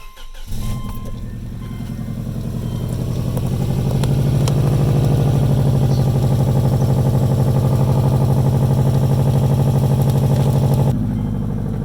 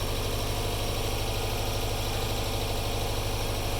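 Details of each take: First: Subaru Legacy GT before the exhaust leak fix: the engine cranks, catches and fast-idles with a sharp raspy puffing at each firing pulse from an exhaust leak. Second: Subaru Legacy GT turbo idling after new turbo core, engine mounts, air pump delete and new downpipe gaskets: steady, even low rumble with no ticking or puffing, exhaust leak fixed.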